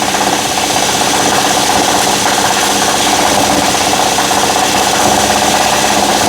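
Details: 2012 Nissan Murano at fast idle, extra microphone on the steel near the compressor: a steady rough rattling drone as the AC compressor pulley wobbles; a worn AC compressor hub bearing is suspected, the compressor was leaking, and it was replaced.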